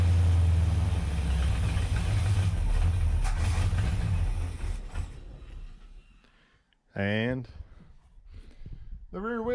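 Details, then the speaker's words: 1965 Dodge Coronet with an LA 360 swapped in for a 318 Poly, after its first start: a deep V8 rumble idles evenly for about five seconds, then drops away. Starts and runs normally, with a low idle that may need raising. "I know I have fuel up to that point we made it I might need to idle up a little"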